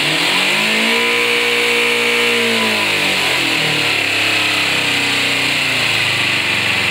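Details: 2007 Kawasaki Ninja 250 with 2,700 miles, sat for a while and needed a jump start and fresh gas after the old fuel was siphoned; the small twin's idle wavers and hunts up and down instead of holding steady. Rough idle, cause not pinned down.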